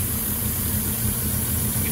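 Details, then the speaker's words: 2006 Ford F-150 5.4L 3V Triton with a remanufactured engine, almost 300,000 miles, codes P2195/P2197 stuck lean. The low idle throbs and shakes badly instead of holding a smooth beat: a big vacuum leak from a failed vacuum line. "me shaking now cuz the engine shaking so bad so you can see it right here"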